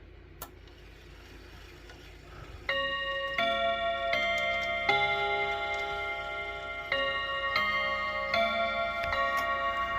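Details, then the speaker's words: Chiming clock after its first service, chime test before setting it ticking: clear, ringing bell notes over a light steady tick at the 15 and 30 positions; the quarter and half-hour chimes sound clean and properly struck, normal. "So before we get it ticking, let's just make sure our chimes are working. Should be a 15. That's good. Should be a 30. That's good."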